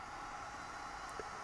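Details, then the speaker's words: ProsKit SS-969B hot-air soldering station set to 450°C with the fan turned to maximum airflow (up to 120 L/min): a smooth, even airy hiss with a faint hum, no rattle or pitch wobble; normal, just loud. "turn the fan right up it gets quite noisy as you can hear"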